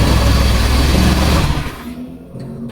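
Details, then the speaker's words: Honda Beat scooter with a faulty brake switch bypassed by an alternative fix: with the lever released, pressing the starter brings the engine straight to life with a quick rev that settles; clean, immediate normal start. "Nih kalau kita lepas, terus kita pencet tuh langsung nyala, Guys. Ya, mantap."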